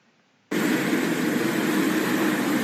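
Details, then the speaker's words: Cooling tower blower fan; steady rushing run with wavering squeal as the loose fan belt flaps and slips on its pulley, black belt dust scattered around; slipping lowers impeller speed and airflow. "벨트가 파닥파닥 거리면서 끼끼끼끼 미끄러지다 저렇게 주위에 이제 시커 맣게 또 가로 다 날려 있고요"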